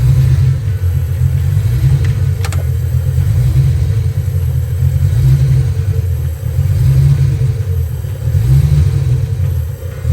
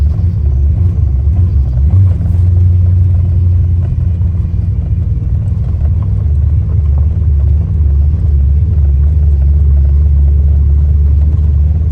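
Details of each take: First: Ford Foxbody Mustang, after PIP pickup and TFI swaps: deep uneven rumble with stumbling, lumpy beats as it runs and revs; misfire traced to a bad distributor, spare distributor also bad. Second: Ford Mustang Fox Body after swapping the distributor pickup (PIP/stator), with a high-RPM miss around 4,000–5,000 rpm before; steady, even engine rumble while driving, no stumble or miss; the engine now runs healthy.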